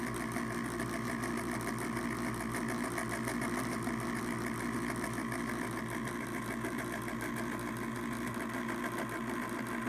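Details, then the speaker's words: Pellet stove auger gear motor, ball-bearing type: fast uneven metallic clanking over the motor hum, roughly eighty a minute; still turns and may feed pellets, but not how it should sound. "the next one has a different sound the um even though it is a better ball bearing motor it um makes quite a clanky sound let's listen to that"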